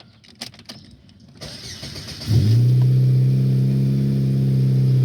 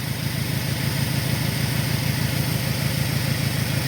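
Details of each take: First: 2002 Saturn SL four-cylinder starting and idling smoothly after new part installed to cure misfires; before, it ran like on two cylinders, now firing on all four with a steady even idle. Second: 2002 Saturn SL idling, ear near cylinder one: steady idle with slightly uneven low pulse about twice a second and faint hiss; suspected vacuum leak near cylinder one, injector balance and scope checked fine.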